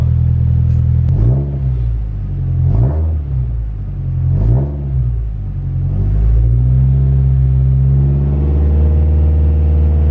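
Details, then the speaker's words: Nissan S13 after replacing the fuel pump and filter: fires, gets a few quick throttle blips, then a steady even idle with no stumble and no leaks, owner feels it runs richer; normal start and idle. "Ouais, c'est nickel hein."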